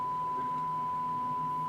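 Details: Pioneer SX-680 receiver with a power-on, no-sound fault (power supply, not signal path), signal checked at Q506: clean steady mid-pitched tone held two seconds over faint hiss; amplifier passing the test signal.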